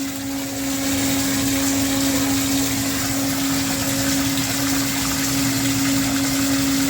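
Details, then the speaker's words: Mastercraft 1/2 hp submersible water pump running at full power, meant as a pressure washer water feed: even, unbroken mid-pitch hum over rushing spraying water, no knocking or rattling; pump running normally. "so we're going to run this for a minute and then we're going to shut the water off and turn the other side on this is a good video for you guys to hear the noise"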